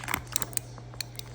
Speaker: You can hear the clicks are clicking good.